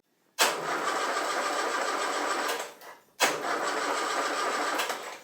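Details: Land Rover under restoration after distributor realigned, static ignition timing set and plug wires shortened, oil reaching the tappets: two steady cranking bursts of about two and a half seconds, starter turning freely, engine never fires.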